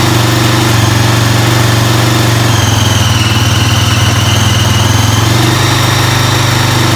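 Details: Freshly rebuilt Honda 400EX single-cylinder quad on first start after reassembly: idling with a fast, light tick over the thump; top-end noise, cause unconfirmed; ticking noise at idle.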